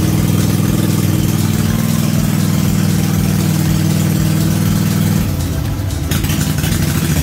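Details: Cub Cadet RZT-50 zero-turn mower, unused for years, revived with a replaced crankshaft seal and new aftermarket carburetor (original freeze-damaged): steady single-cylinder putter at an even idle, slight note change near end, no misses or knocks; normal idle.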